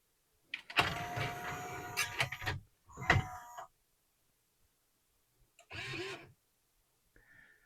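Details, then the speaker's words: Pioneer CLD-3090 laserdisc player from July 1991, eject pressed: tray motor whirs and strains in short bursts, then stops dead; the tray is stuck on its track, binding from old hardened grease. "Zoom in a bit here so we can see it's just it's getting stuck on this track here. Yeah, there's some old grease on there."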